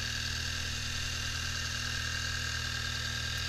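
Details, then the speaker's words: 2011 Audi A3 used-car check, engine started and idling: steady even hum with no ticking, rattling or knocking; sounds healthy. "this case all good"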